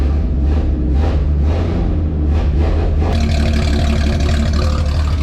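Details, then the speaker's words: Classic truck inline-six with muffler just removed, in garage: deep loud throaty drone rising sharply when revved, raw open exhaust, belt squeal at startup; only slightly louder than before; loud open exhaust. "All right, it's a little awesome. It's not terribly different, if we're being completely honest. It's definitely better sounding and slightly louder, but I'm okay with, I don't care how it sounds really."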